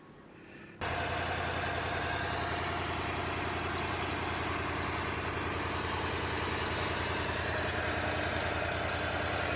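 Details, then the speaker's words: 1953 Ford Victoria flathead V8, rebuilt and long unused, start after refitting 6-volt coil and 6-volt battery; brief run with no radiator water and slight blow-by; steady even low rumble, no knocks or misses: normal idle. "well I did put the uh 6volt coil back in and the 6vt battery and it did start up"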